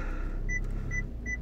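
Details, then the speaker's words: VW Golf 7 after replacing the failed park-assist buzzer (faulty since a battery change), engine running in reverse: short clear beeps at about 0.4-second intervals over a quiet engine; warning gone, parking sensor working normally. "Ah oui, il est là. Et en plus de ça, on a le bip."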